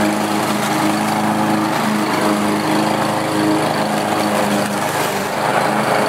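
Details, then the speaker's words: Lawnmower small engine after carburetor replacement (part #594057); previously surged and ran rough. Now holds a steady, even buzz without hunting or surging, running smoothly. "and I'm really happy with the way this mower runs now it's nice and steady before I was running a bit rough and it had a bit of a surge"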